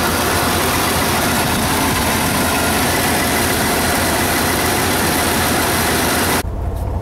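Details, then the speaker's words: 1990 Chevy K3500 dually with a 454, warming up at idle: rough, puffing tick at each firing from exhaust leaks on both sides; new manifold seals are planned. "one of the other problems is that uh i've got an exhaust leak on this side and another one popped up on this side"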